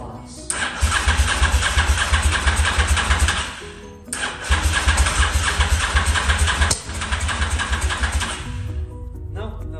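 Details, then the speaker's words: Honda motorcycle stored for 5 years, cranked with the ignition bypassed: two long cranking bursts near three beats a second, with ragged catches that never settle into running. The spark plugs are fouled and are being replaced. "so although I've got power now to the bike and it is turning over you can see that these plugs are full B so I'm going to SW swap them out"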